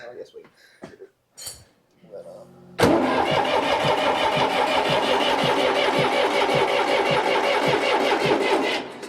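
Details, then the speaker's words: John Deere 830 Utility diesel tractor after new fuel injectors installed, top ends of three injector inlet lines left loose to bleed air, mic on chest; even starter cranking about three turns a second, no firing; cranking while bleeding fuel system. "I'm leaving those loose so we can bleed it as we crank"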